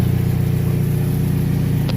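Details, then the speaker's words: Chevrolet HHR at idle after sitting long with battery disconnected, check engine light on: smooth even low idle with no rattle or tick, no timing chain noise these engines are known for; normal, though an exhaust leak exists. "She seems to be sounding sounds all right. No timing chain noise that these things are known for."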